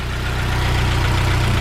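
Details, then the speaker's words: Honda S2000 at idle after refitting a banjo bolt: smooth, even idle with steady low hum, no rattle or knocking; the former hot-start rattle, like fingers run across spokes, is gone. "an absolute dream no rattle noises no knocking"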